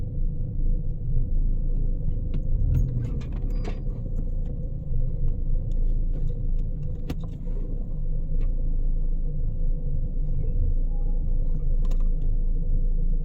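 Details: Engine with P0300 plus cylinder 4 and 2 misfire codes: low idle rumble stumbling and shaking unevenly; failing ignition coil.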